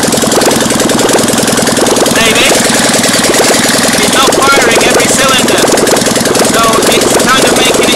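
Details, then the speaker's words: Fiat 650cc engine running on a bench, choppy erratic idle with beats dropping out as one cylinder fires irregularly, not at full power; cause unknown, possibly electrical, not confirmed. "to idle, it's a bit erratic because the cylinder on this side, as you can hear,"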